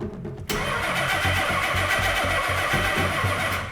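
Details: 1990 Nissan 300ZX, not run for 10 years, on a Haltech ECU: starter churns at an even four beats a second and the engine never catches, with a home tooth count error; cranks but won't fire due to incorrect ECU setup.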